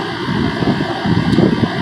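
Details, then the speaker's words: Carrier Weathermaster rooftop unit, both condenser fans replaced and rewired from shared capacitor to two separate capacitors: steady whoosh of fans running normally, some wind buffeting on microphone; supply air about 54 degrees. "she's running it's going pretty good now"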